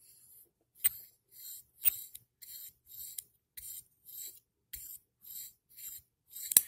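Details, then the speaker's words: FURA flipper knife (Serge Panchenko design copy): about ten gritty scraping strokes with sharp clicks as the blade is flipped, pivot bearings grinding, possibly unlubricated. "of a little bit of grinding to them I don't know if they didn't lubricate them I haven't taken a part yet"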